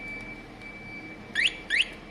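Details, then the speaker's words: Two brief, thin rising chirps from the alarm over a quiet background, so faint it can hardly be heard. A low battery was mentioned; the cause of the weak alarm is not confirmed. "i mean that's not you can hardly hear it"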